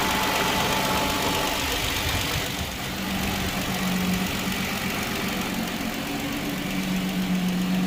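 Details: Hyundai Genesis 3.8L on first start-up, possibly after an engine swap: fast, uneven metallic rattle over a busy idle just after start-up, roughly four a second; cause undetermined.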